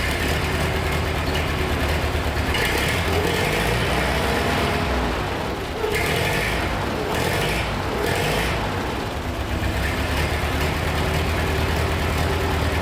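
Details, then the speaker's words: Revived old Ford 8N tractor after a valve job and carb work. It idles right down, low, steady and even, with no knocks or misses and good oil pressure, running nice and quiet. "idled right down. Listen to it. Thing's nice and quiet."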